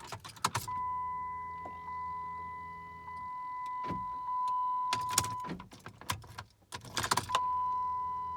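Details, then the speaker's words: 2005 Chrysler 300 3.5L V6, fresh battery, dash and lights working, after stalling while reversing: turning the key gives only a steady electrical buzz with a few clicks and no cranking; no crank, no start, cause unknown. "It's just making that buzzing sound when I try and turn it on. The gauges don't, like all my lights are working."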